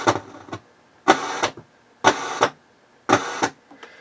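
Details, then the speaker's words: H.H. Scott R-316 receiver on phono input at high volume: loud crackling scratch and popping bursts about once a second that settle down after a while, like DC from the phono amp; dirty selector switch suspected, not confirmed. "problem exists when i turn it to phono i'll turn the volume up so you hear it listen to what happens it's a very loud scratch and"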